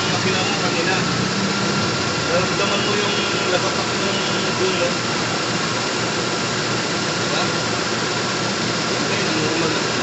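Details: Toyota Corolla GLi 4A-FE after repair: even, steady idle with no knocks, misses or shake; shifting into reverse and drive now fine; normal idle.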